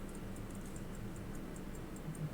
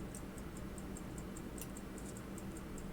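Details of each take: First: Hunter-case pocket watch, returned after repair, ticking after the overbanking problem was fixed; faint quick steady ticks, about five per second, with an even beat and no stumbling. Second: Hunter-case pocket watch, returned after repair, ticking before the fix; fast even ticking with an occasional extra knock mixed into the beat, the balance overbanking; cause unknown, a loose jewel is suspected.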